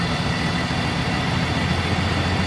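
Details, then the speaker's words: BMW engine idling with thin steady hiss; vacuum leak at a small tube wrapped in electrical tape, tone changes and engine responds, nearly stalling, when the leak is opened. "I get down here and I start reaching at it and I could hear the vacuum noise or the vacuum leak the noise changed like tone and the engine starts to uh respond to"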